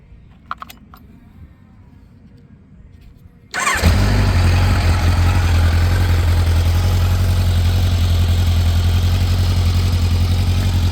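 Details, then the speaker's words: 1986 Kawasaki Ninja 1000R, a garage-kept find revived with a new 30 A main fuse and Seafoam in the fuel, has a backup fan switch. Cold start: silence, then it catches instantly and settles into a steady, even idle. Healthy start. "I mean, that thing fires just as good as my V65 Sabre. And it runs just as good."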